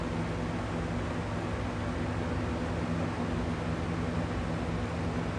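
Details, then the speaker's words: McGraw Edison Comfort Fan, replacement "factory serviced" unit swapped in for one with vibration and humming (suspected misaligned motor shaft): steady airy rush and low even hum on high, no wobble or rattle; runs smoothly, not vibrating. "But this one's not vibrating like the other one was. Yeah, it's definitely very smooth."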